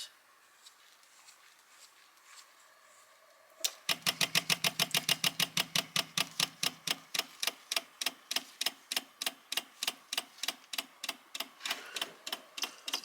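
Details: Electric SU fuel pump, cold car with 1296 cc engine and Weber DGAS carburetor, fuel system just completed and engine not cranked: silence, then sharp ticking about three per second that slowly spaces out as the float bowl fills; normal priming.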